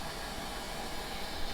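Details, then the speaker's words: Hornby model railway turntable converted to DCC, run on an ESU ECoS controller with a small locomotive aboard: thin, even whirring hiss as the motor turns, then lines up the rails and stops, normal running. "and then you can drive your locomotive on and off the motor is still turning so as you'll see it will line up it will stop give you a chance to turn the motor off like that"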